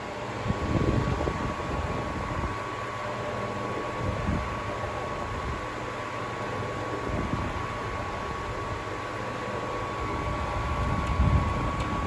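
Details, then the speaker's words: Seabreeze Cool Sweep 10-inch table fan, 120VAC 60Hz, new old stock, on high speed: thin constant high whine over soft airflow; owner suspects dry motor bearings needing oil, not confirmed. "oh the bearings sound kind of dry i'll probably have to open it up and oil it but it shouldn't be an issue as the fan appears to be pretty easy to open up"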